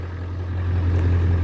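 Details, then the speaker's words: 7.3 Powerstroke diesel with recurring fuel issue, just after hard start, smoking heavily: deep steady idle, low drone starting rough then smoothing out; rough idle. "i didn't think it was gonna smoke that much running a little rough surprise is actually smoothing out"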